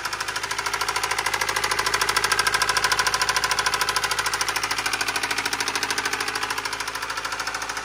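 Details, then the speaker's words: Subaru engine with rod knock: loud, steady metallic banging keeping time with the engine, about three knocks a second; bearings worn metal to metal from oil starvation, e.g. failed oil pump or low oil; not piston slap. "if your car sounds like that that's a rod knock okay now I can talk again that is a rod knock that's an engine knock"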